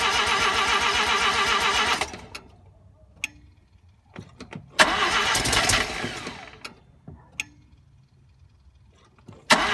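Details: RX-7 first start attempt after swapping a 12A rotary in for the 13B: two cranking bursts that never catch. Crank no start; the ignition timing was found to be way off, though the owner first thought there was no spark.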